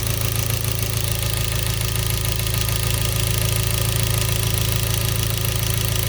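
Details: Hyundai Genesis 2.0T at steady idle with a regular deep knock about three or four per second; spun rod bearing from oil starvation blamed on a poorly made oil pump. Oil and oil pressure lights and knock sensor never warned, no limp mode.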